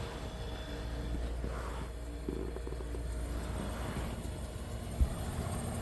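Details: 1973 Westinghouse 25-pint heavy-duty dehumidifier, just acquired after sitting in a cabinet shop, running normally: low steady quiet drone with a small handling bump; smooth balanced motor.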